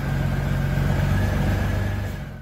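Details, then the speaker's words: Honda GL1500 Goldwing after carburetor reinstall, idle set to about 850–900 rpm: catches, revs briefly, settles to smooth even idle; no leaks, healthy. "Alright, now that you got the bike running, it's all good, no leaks. Everything seems to be just running just right. Idle's set."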